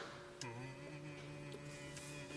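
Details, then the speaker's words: BYD Atto 3 EV at low parking-lot speed: soft constant low humming with a few fixed tones, the pedestrian warning sound, which fades as speed picks up; normal. "The noise that this car emits sounds like I'm not sure if this low frequency sound can be captured by the camera. It's just a very constant humming"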